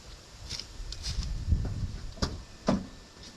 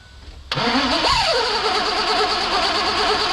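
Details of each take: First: 2001 Mazda B3000 with an LS swap, sitting 18 months; starter spins the engine in a steady loud churn but it never fires. Crank no start; low fuel pressure suspected, old varnish-smelling fuel. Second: 2001 Mazda B3000 with an LS swap, sat 18 months, fuel rail pressure confirmed, no coolant in it: short crank, catches and flares up, then drops to a steady, even idle. Starts and holds, run only briefly because of the coolant leak.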